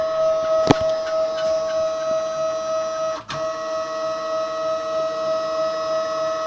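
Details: New KAMI FKM 350 PL machine, Y axis travel: steady high whine with faint fluttering tick and two sharp clacks; strange sound in Y drive, cause unclear, owner added more oil.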